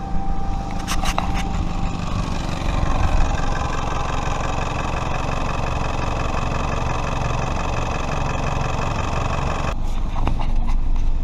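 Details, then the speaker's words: Leaking flex pipe on the downpipe, shown on a 3S-FE 1996–2000 Toyota RAV4: loud, deep, tank-like rumble at idle with an uneven puffing beat, much louder than stock; exhaust leak, which grows louder and faster with rpm. "so if you think you've got an exhaust leak you'll probably be hearing a kind of tick tick tick sound it won't be like the valve chatter be more of like a muffler exhaust sound like"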